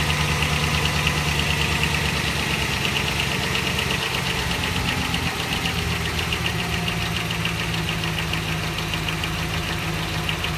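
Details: 2012 Dodge Ram 1500 4.7 at 59,000 km, still under warranty: steady idle with a loose, uneven knock about twice a second from inside the engine; source unknown.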